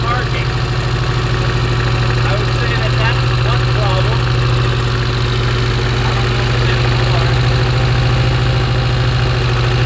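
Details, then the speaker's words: Porsche 924 Turbo, long-time poor runner: uneven lumpy idle with stumbling low drumming beat; spark plug wire insulation gone and arcing to ground, causing misfire. "look at that wire right there the insulation's gone"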